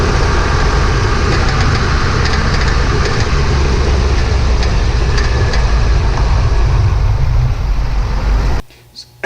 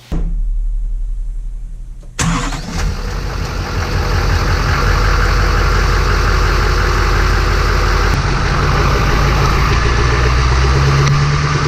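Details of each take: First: 2007 Chevy 3500 Duramax driving over bumps: heavy road rumble with short metallic front rattles that stop when the brake pedal is held; front brake pads had excess slack in brackets, fixed with new pads and hardware. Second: 2007 Chevrolet 3500 Duramax diesel after new front brake pads and caliper boots fixing excess pad clearance; starts and settles to steady deep rumble, no front-end rattle over bumps.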